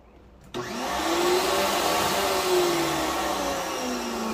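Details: Stanley 2150 electric pressure washer after replacing the GFCI power cord head to fix a no-start. The motor kicks on sharply and settles into a steady, even whir with a faint drifting tone; it now runs normally.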